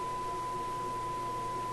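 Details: Sparton Model 67 vacuum tube radio, repaired, before alignment: a clean, steady signal generator tone on shortwave near 10.17, with the dial reading 10.7, over a low background; reception is good.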